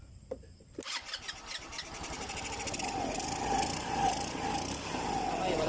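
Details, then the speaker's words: GY6-type Rusi scooter engine after replacing the faulty rocker arm: it catches and settles into a smooth, even idle with no top-end tapping. The valvetrain noise is gone. "wala nang ingay mga idol."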